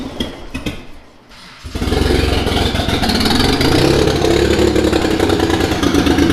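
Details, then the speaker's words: Mitsubishi 3000GT VR4 twin-turbo 6G72 DOHC, first start-up of new engine: after cranking bursts it catches into a lumpy, uneven idle with a stumbling beat as if a cylinder drops out; owner suspects misfire from something left unplugged, cause unconfirmed. "Why is it running like such dog? It's like running like something's not plugged in, right? It's running like something's misfiring."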